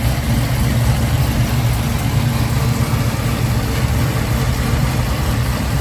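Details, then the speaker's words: 2017 Chevrolet Camaro ZL1 supercharged LT4 V8 on a quick start-up after refitting a damaged supercharger belt: deep, smooth V8 burble at idle with no squeal, slap or rubbing; nothing shredded, normal idle. "Okay, everything looks good. I don't see nothing shredded so far."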